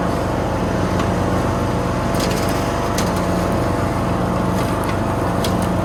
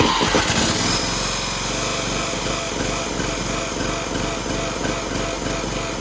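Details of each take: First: Toro Z420 TimeCutter zero-turn mower after motor swap with new carburetor and fuel line, mowing foot-tall grass: steady, even engine drone holds speed under heavy load with no bogging or stumbling; runs good. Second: Toro Z420 Timecutter zero-turn mower, swapped replacement engine, first start with choke on, PTO disengaged: small engine runs fast and uneven, beat lurching and stumbling; running rough because the carburetor wasn't cleaned; hitting the dipstick shroud.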